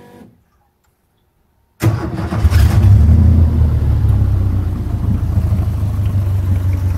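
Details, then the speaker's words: Subaru flat-four engine swapped into a 1965 VW fiberglass buggy, replacing a 1600 dual port, with owner-built soldered wiring and a louder-than-wanted exhaust: short crank, quick catch into a loud, deep, even exhaust burble settling to steady idle; normal start and idle. "the exhaust turned out to be a little bit louder than I would like but it still sounds good so just go ahead and start it up"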